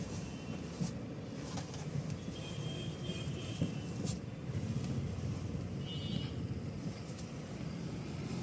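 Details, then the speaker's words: Mahindra XUV300, engine running, after repairing a noisy steering column that an earlier repair had not fixed: the wheel is swung quickly lock to lock with no clunk, knock or creak. Quiet steering. "तो जैसे की दोस्तों देखा आपने इसके अंदर बिल्कुल भी आवाज़ नहीं है हमने जो इसका कॉलम है वह रिपेयरिंग कर चुके हैं"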